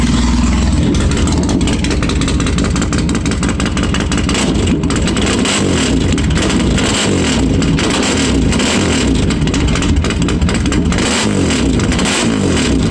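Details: Polaris Sportsman 800 ATV during Big Gun single-muffler exhaust install replacing old system that overheated: harsh, loud, raspy exhaust roar holding steady through revs, much louder than stock; muffler probably leaking.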